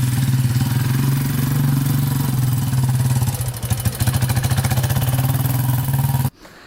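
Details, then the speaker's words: 2001 Yamaha Warrior 350 single-cylinder ATV after a short ride: loud rapid metallic knock on each beat, then shuts off; owner suspected timing chain, but cause was excessive valve clearance ticking. "all right so just took it for that little ride as you can hear it's knocking pretty bad um it does sound like it might be the timing chain i'm not 100 sure but uh we'll tear into it right now and try to figure that out"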